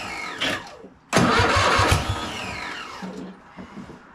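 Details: Cub Cadet RZT zero-turn mower, first start after swap to newer Kohler Courage V-twin with carb spray: brief crank, then the twin catches firmly and settles into a steady run; clean, normal start-up.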